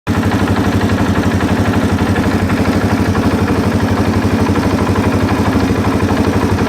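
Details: 2001 Suzuki DRZ400E with an aftermarket Wiseco piston, idling with an even, sharp knock about four times a second on every firing stroke; top-end piston knock, suspected, not confirmed. A wrongly set cam chain tensioner sounds less rhythmic; the bike was unchanged after 3,000+ miles.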